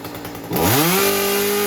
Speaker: I didn't lean it out too much I don't want to run these lean because you don't need to gas is more power and it's not it's not stupid Rich it's just right